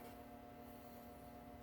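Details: 1937 Westinghouse WR-212 broadcast/shortwave radio, recapped, powered up on a variac, tuning not yet connected; only a faint, steady low hum, barely audible, under the quiet set, showing the power-supply filtering works well: normal.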